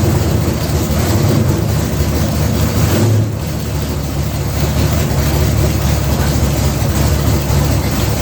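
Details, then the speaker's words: 1980 Trans Am V8 with new Tick Performance nitrous cam and ported intake, run briefly without coolant: deep, steady, lumpy low rumble holding an even rhythm with no knocks or rattles; a healthy aggressive-cam idle. "yeah it runs good sounds wicked this sounds better than it did before and it sounded good before"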